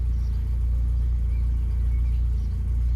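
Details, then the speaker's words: Austin Maxi with new K&N air filter, oil pressure and vacuum gauges fitted, good oil pressure: deep even engine note holding steady without knocks or rattles; owner says engine feels tight, not worn, flies down the road; healthy revving. "Everything still feels nice and tight on this engine. It doesn't feel wore out. It certainly flies down the road."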